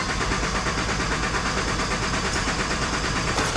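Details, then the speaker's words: 2010 Mazda CX-9 3.7 V6 with a dead cylinder 3 misfire, cranking in clear-flood mode with injectors off: steady, even cadence with no uneven beats, suggesting no mechanical or compression fault. "Sounds nice and even to me. So, I don't believe we have a mechanical problem."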